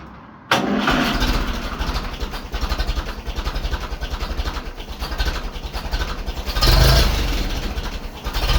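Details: 1951 Ferguson tractor after new thermostat housing and with throttle linkage loosened for readjustment: cranks briefly, catches cleanly and settles into steady even low idle with a small throttle blip; runs fine, no coolant leak.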